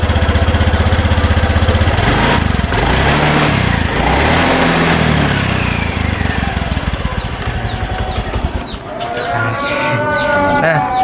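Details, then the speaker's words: Honda Vario 110 scooter, after CVT service replacing parts and the clutch shoes (kampas ganda); earlier knocking and judder on pull-away gone: engine idles, revs and settles smoothly, no knocking from the drive, normal CVT operation. "suaranya kalau sebelumnya itu dia ada-ada keketeg gitu ya Anda kurang sedikit adem itu makanya ini sudah diganti kapas ganda sama Si Pipit jadi adem lagi gitu ya"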